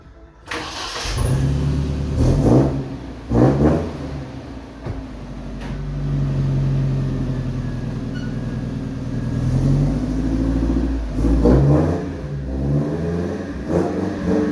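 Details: Bakkie exhaust after sealing a leaking flange-to-muffler joint that lacked a gasket (temporarily sealed with Firegum until the gasket arrives): engine starts, idles and blips with a full, even note, no puffing or ticking; sounds better than before.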